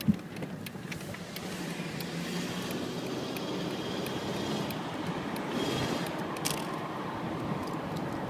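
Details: Rattle audible only under load, not reproducible at idle; exhaust smell noticed in cabin while driving but no exhaust leak found: road and engine noise with scattered light metallic ticks from underneath; cause not pinned down.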